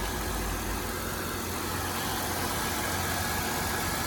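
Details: Car with a 3800 V6 at an insurance auto auction, pulley looks fairly new: smooth even warm idle with a steady low rumble, no knocks, misses or whine; sounds healthy.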